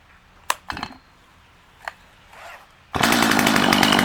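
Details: Stihl MS250C chainsaw, 16-inch bar, in good shape, with Easy Start and primer, started by pulling up on the rope unlike a conventional saw: a few pulls with short coughs, then catches into a steady crisp high buzz; normal start and run.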